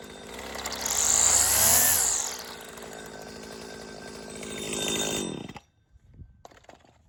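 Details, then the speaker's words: 1999 Stihl FS80R 25cc two-stroke string trimmer, warm start after cleaning, tune-up still pending; high buzz revs up, settles to an even idle, then shuts off cleanly; runs smooth and healthy. "it does run pretty well actually it was pretty dirty but I did clean it up but it's not perfect"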